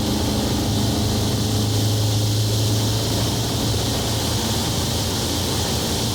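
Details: Onex with turbocharged Aerovee engine cruising in flight, running with the intake hose fallen off its compression fitting, a big intake leak blowing out fuel-air mixture. Steady, even drone, low hum and wind rush, no misses or surging; running smoothly.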